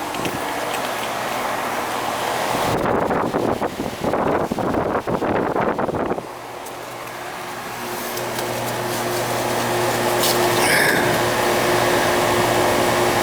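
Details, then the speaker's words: Outside AC condenser unit after repairing rubbed-through fan wiring and fitting a new capacitor: even, steady fan whoosh and compressor hum with no rattles or squeals after loud handling; running normally, charge possibly a little low. "It says it's running fine, but I'm just going to check it quick."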